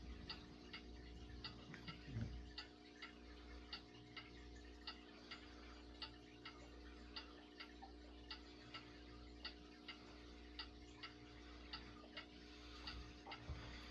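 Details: 1970s Galaxy Turbo Stream 20-inch 3-speed non-reversible box fan, test run after storage, screws not yet tightened: steady low hum with a light regular tick about once a second as blades coast down evenly; healthy motor, slight cage rattle.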